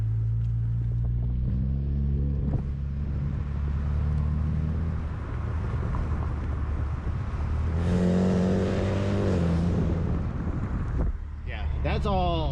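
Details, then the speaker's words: BMW with straight-pipe exhaust and basic resonator after replacing mufflers and fixing heat shield rattle: loud raspy exhaust drone swelling with throttle, no rattle or buzz; healthy straight-piped note. "now you can't judge that that's the sound of the exhaust just coming out that's that's just the rasp that is bmw when you have a straight pipe and just a very crappy resonator in place"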